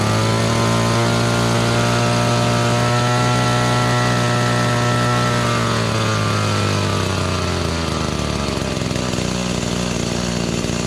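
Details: Echo GT-200B (Kioritz) two-stroke trimmer after recoil starter pull rope repair: high buzz revs up steadily, holds, settles cleanly to lower speed without stumbling; running normally.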